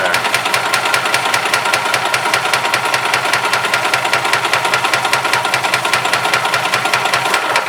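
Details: 1991 Yamaha G8 gas golf cart, small single-cylinder engine previously dying after two to three minutes; after cleaned carburetor and new fuel pump and line it runs with a steady, even beat and no misses, knocks or hunting: healthy, smooth running.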